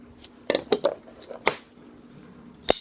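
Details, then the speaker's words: Folding knife with an M390 steel blade and an internal stop pin; handling clicks, then one crisp snap as the blade flips open and hits the stop pin, not the lock engaging. The stop pin will eventually need replacing. Normal blade snap. "Dave's knife has an internal stop pin. You can hear how that snaps open. That's M390 steel snapping open onto, I'm not sure what his stop pin's made out of."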